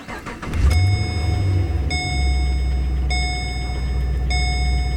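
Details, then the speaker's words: 2009 Holden VE Commodore 6.0L V8 after replacing a broken pushrod plus spark plugs and leads: quick crank, clean catch, then steady even idle with no stumble under a dash chime; smooth, no miss, no engine light. "sounds smooth now, no miss, very smooth, no engine light."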